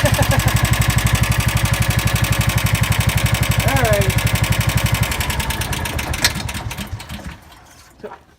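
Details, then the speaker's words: John Deere Gator engine after a full teardown and valve adjustment (tweaked the valve pin to remove play): small single thumps along evenly at about four beats a second with no misses, then winds down; runs healthy. "runs after everything I did to it it finally runs so thank you guys for the for being patients and all that"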